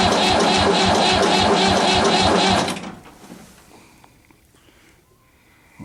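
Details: Diesel tractor at about 30°F: sluggish, laboured cranking under two turns a second that never catches, then stops; weak crank, no start.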